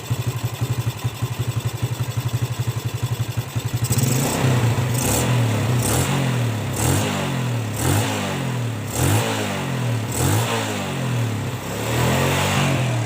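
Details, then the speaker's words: Yamaha Jupiter Z engine after rebuild to cure rough noise: even single-cylinder idle then clean free revving blips, knocking 'klotok' rattle gone; sounds healthy. "Suaranya udah lumayan halus, nggak ada suara klotok-klotoknya lagi ya. Halus ya teman-teman ya suaranya ya. Suara klotok-klotoknya udah hilang nih."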